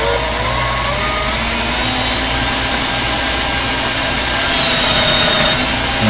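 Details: Prototype security-pin lathe motor on an LM317T variable bench power supply with a 10-turn potentiometer, run at full speed: a steady high-pitched whine holding its pitch without bogging or rattles, running normally.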